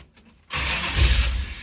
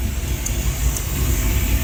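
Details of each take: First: V8 Chevrolet S10 with a freshly installed fuel system. The starter whirs, then the engine catches only feebly, lumpy and weak, with only one cylinder hot. Misfire. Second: V8-swapped Chevy S10 after revival, running with no coolant in it: smooth, deep, even V8 rumble with a slight rise and no misses; a vacuum leak at a nipple was suspected afterward.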